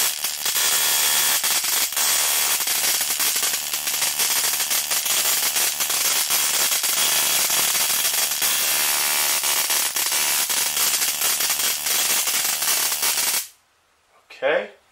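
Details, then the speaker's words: 555-timer ignition coil driver/tester on a 7 Ah sealed lead-acid battery, MOSFET-switched, 0.1 µF (104) capacitor: a loud, harsh crackling spark buzz across a gap of nearly an inch, steady for about thirteen seconds then stopping, ozone smelled; strong normal spark. "I could smell ozone that was generated from the arcing."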